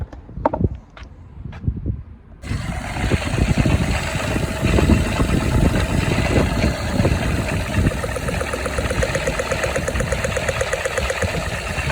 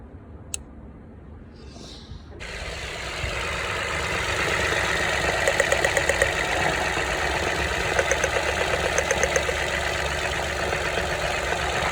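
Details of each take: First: Toyota Aygo/Citroen C1/Peugeot 107: after a few clicks the engine starts and idles with an uneven, stumbling pulse; engine light on, power loss, cylinder misfire from a burnt ignition coil, replaced. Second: Toyota Aygo/Citroen C1/Peugeot 107 three-cylinder petrol engine, previously misfiring from a burnt ignition coil: steady low idle hum, with a loud hiss covering it for about ten seconds.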